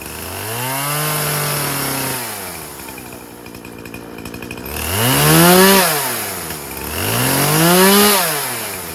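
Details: Poulan Pro 50cc 20-inch two-stroke chainsaw after repair: tank thought to be venting now, running 40:1 premix. Revs up cleanly and drops back to idle twice, rising and falling smoothly without stalling or bogging; runs healthy.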